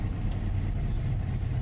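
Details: VW Jetta with EPC light on and codes P1579, P1545, P1558: just after start, the petrol engine idles unevenly with surging rpm, stumbling and misfiring, and the engine vibrates heavily. Throttle basic setting/alignment suspected as not completed.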